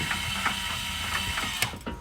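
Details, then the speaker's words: 2022 Zinger 270BH travel trailer power stabilizer jacks extending: steady motor whir with quick ratcheting clicks, cutting off as the jack takes load; normal operation, and one side may lower before the other. "this is going to be for your power stabilizer Jacks so you just hold extend or retract sometimes one side will go down before the other don't worry about it still fine luckily these are going out at the same time"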